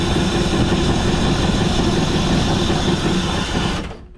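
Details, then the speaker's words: 1978 Dodge Diplomat sat 18 years since 2007, Lean Burn ignition converted and timing set; rough, loud run only while gas is poured in directly, then sputters and cuts out; ignition confirmed fine, fuel supply fault, owner suspects plugged fuel filter. "So, as you can see, now we're at fuel related, but at least I know all that stuff is is fine."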